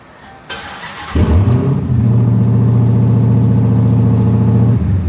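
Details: Dodge Hellcat V8: quick crank, then it catches and settles into a deep, even burble with a steady rev; sounds strong and healthy. A fuel leak from a missing clamp was found afterward.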